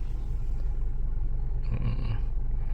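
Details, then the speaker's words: Suzuki Swift running with AC on after the repair: only a soft, even low rumble, and the earlier coarse droning hum is gone; the compressor remains a possible future concern. "Oke. Suaranya hilang. Enggak ada terdengaran bunyi ni."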